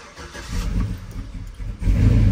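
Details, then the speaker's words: Cammed 4.8 Silverado V8 with Summit Racing cam and higher-stall torque converter, before tuning, start with no foot on pedal: lumpy rumble sags and stumbles after firing, bogging at idle; check engine light blinking for misfire. "see how it bogs down a little so we're gonna get all of that addressed"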